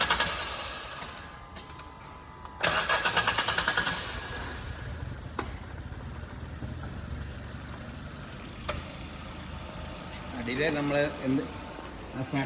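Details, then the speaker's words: New-model Wagon R with engine misfire, restarted after throttle body cleaning and battery reconnection. It cranks, catches after a short hesitation, then idles steadily. The delay is from cleaning liquid soaking inward, and the misfire is gone. "Delay വന്നത് നമ്മുടെ ഈ liquid ഇതിനകത്ത് form ചെയ്തു കഴിയുമ്പോൾ അത് കുറച്ച് ഉള്ളിലോട്ട് ഇറങ്ങി പോകാൻ വേണ്ടിയുള്ള താമസമാണ് ആ ഡിലേ വന്നത്"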